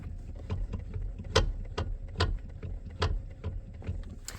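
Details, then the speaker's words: 2012 Toyota Camry, engine idling: sharp hollow clunks about once a second come from the steering column as the wheel is jerked side to side. The car also rattles at higher speeds. The cause is a worn, poorly made power steering gear damper. "you can get that clunking sound just going side to side with it."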